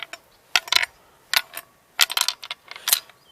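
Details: Amber warning-light bulb from a 1990 Blue Bird TC2000 school bus, one amber shown out on the light monitor: light tinkling rattles in quick bursts each time the bulb is shaken, like a loose broken filament; suspected fried, not confirmed.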